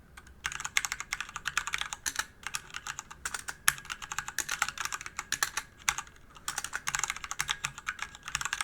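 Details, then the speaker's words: DIY DZ65RGB V2 hot-swap keyboard with Cherry red linear switches in a 1 kg-plus aluminum case. Typing gives fast, even, soft clacks with no rattle; a smooth linear feel. "どうでしょうか赤軸独特のスコスコといった打ち心地がとても気持ち良いですね"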